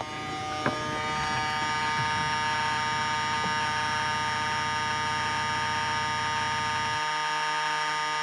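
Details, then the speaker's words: Lexus LS430 with key on: steady high buzzing whir with a gritty edge for seven seconds then cuts off; horrible winding noise from left-hand mirror motor, gears suspected stripped, not confirmed. "so at a guess the gears in the left left-hand side uh revision mirror have stripped"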